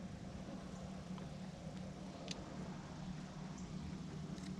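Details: Planar 44D diesel heater fitted in an Alubox for portable camping use, test run: steady low hum with even airflow rush, no knocks or surging; fans running smoothly.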